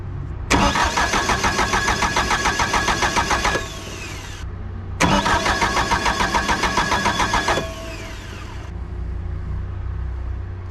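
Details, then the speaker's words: Bobcat 883 with a reman Deutz diesel, turbo pipe not yet fitted, fuel cutoff fed 12 V: two cranking bursts of about three seconds at roughly 3.5 beats per second without catching; cause suspected, possibly cranking pulling voltage from the cutoff. "It was still clicking. Oh, you know what? When you cranked it, might have taken it away."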